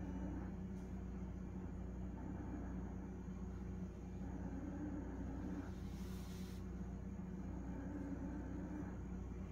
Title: Whirlpool grinding noise.